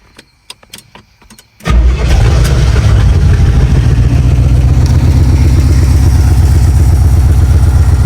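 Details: 1971 Pontiac Ventura Sprint, running on fuel poured into carb bowl: cranks briefly, then catches into a strong, steady low rumble with even firing rhythm; healthy idle.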